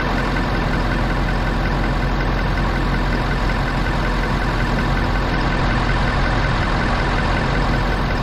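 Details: Ford F350 6.7L Powerstroke diesel, first start after draining gasoline misfuel from the tank and reconnecting the fuel filter line. It stumbled at first, then settled into a steady, even idle with no misses: normal idle.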